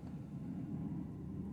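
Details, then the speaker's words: 2008 Hyundai Accent 1.6 with heavy vibration and shaking on start and an intermittent engine light: a low, uneven idle rumble with a faint stumble; the scanner reads a cylinder 2 misfire code, so cylinder 2 definitely has a problem. "entonces hay un problema del cilindro 2 definitivamente"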